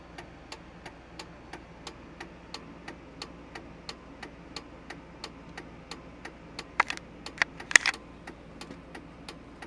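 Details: 1999 Silverado, steady light ticking under the dash about three clicks a second with the brake released; stops when the brake pedal is pressed and returns once released.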